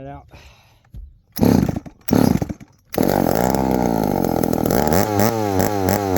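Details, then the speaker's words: 1972 Remington chainsaw with a broken manual oiler; it fires in two short bursts that die out, then runs with a wandering, surging note and won't hold idle. It keeps cutting off, and the owner suspects the idle screw needs adjusting. "she cut off guys she cut off again she keeps cutting off it's hard to find The Sweet Spot"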